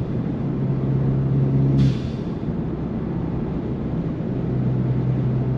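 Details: Ford Fiesta ST 180 turbo with new GFB vent-to-atmosphere blow-off valve with stronger spring: low engine drone under boost, then sharp airy whoosh as throttle lifts; valve venting properly, old valve suspected of not holding boost.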